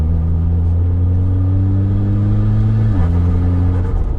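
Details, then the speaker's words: Mitsubishi Evo X with high kilometres and a rebuilt SST dual-clutch gearbox (50,000 km on rebuild), about 10,000 km since SST service, accelerating: strong pull then one crisp upshift drops revs instantly, no flare or slip; shifts faster than the slipping Evo X. "this shifts so much faster and mine is actually had a more recent sst service in teaching than this one"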